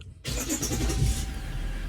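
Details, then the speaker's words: Diesel Jeep Grand Cherokee WK2 first start after both fuel filters were replaced and the fuel pump was primed three times: quick crank, then it fires at once into a steady, even clatter with no stumbling; normal start. "Starts up. There we go."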